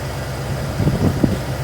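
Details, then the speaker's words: 1988 Ford F350 dually with a 351W V8, Edelbrock carb and Holley fuel pump, running roadside after a no-start (suspected out of gas or fuel sender); deep, steady even rumble with a few light bumps: normal idle. "it's not like it would like lose like five gallons of gas without it running without it running that's no way that could even happen and it sounds good"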